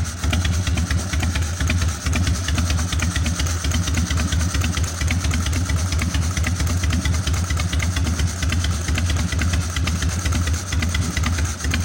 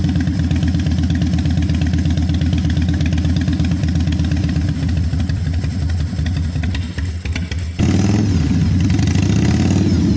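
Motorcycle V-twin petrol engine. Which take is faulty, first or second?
second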